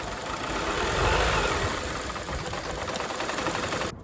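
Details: Peugeot 307 CC petrol engine just started, running rough and uneven with a stumble about four times a second; codes P1336, P1338, P1339, P1340, P0352; oil in spark plug wells and failed ignition coils found, not the ECU; evens out at 2000 rpm.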